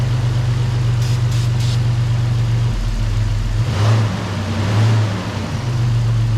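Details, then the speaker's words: 1994 Toyota 4Runner 3VZ V6 after engine repair, after spraying brake cleaner found no vacuum leak. Not yet fully warm, it idles low, smooth and even, and is quiet enough that the injectors are audible firing. "well I don't know if uh if we fixed it or not but it's odling pretty good and um the engine's quiet enough I can actually hear the injectors themselves firing"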